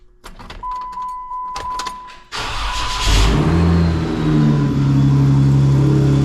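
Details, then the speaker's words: Jeep with a thin high belt squeal over steady idle after start-up from worn idler and tensioner pulley bearings; an odd noise at shut-off is also noted, and it also has an antifreeze leak. "I've been dealing with this squeaky freaking Jeep for ever"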